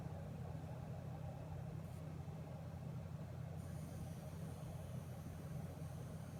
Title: Buzzing noise MSI 1080 GTX Gaming X